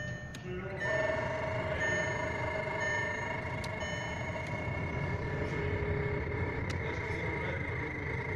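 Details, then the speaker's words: Skoda Octavia Tour heater blower fan that began squeaking when cold: a thin, steady squeal holds level over the blower's rushing hum; the owner plans to remove the fan through the glovebox and lubricate it; cause not yet pinned down. "Скрип вентилятора печки надоел ужасно. Проявляется вот так."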